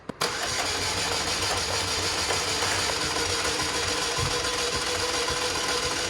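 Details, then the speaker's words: 2004 Chevy Malibu Classic after ATF engine flush, timing chain tensioner removed: starter spins engine with light even whir but never fires, sounds free-spinning; owner fears dislodged gunk holding a valve or lifter open; cranks but won't start. "that's not good that's like something's free spinning oh boy"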